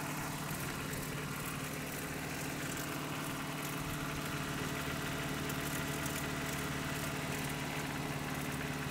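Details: Just-bought Toyota 4Runner 22RE, cold start, filled with 5W-30 oil: cold idle with a fast, uneven ticking-knock of about three a second. Owner suspects timing chain and/or rod knock, unconfirmed.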